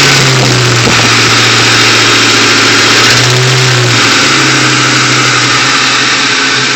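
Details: 2001 Ford Mustang GT V8 running just above idle with a light, fairly regular clacking knock, only between 1000-1500 rpm, quiet below and above; timing chains and tensioners already replaced with no change, cause still unknown.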